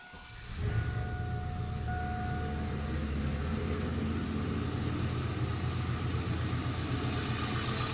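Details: Turbo 5.3L LS after Bosch 044 fuel pump install and leaking washers replaced with rubber ones: cranks and catches within a second, settles to steady, even idle with no misses.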